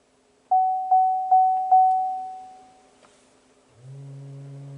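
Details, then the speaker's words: 2016 GMC Sierra, ABS pump commanded on by an Xtool IP608 scan tool for brake bleeding, AC off: four chimes, then a steady low electric motor hum switches on and holds; the ABS pump runs normally. "And there's the pump. You hear the ABS pump? So it just kicked on."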